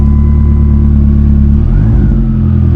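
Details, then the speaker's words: 1999 Dodge Neon with swapped 2.4 SRT-4 turbo engine, running after sitting in winter storage: steady deep hum with even beat, slight dip midway, then smooth settled running; normal idle while warming up. "I'm gonna let it warm up a little bit before we get crazy on it."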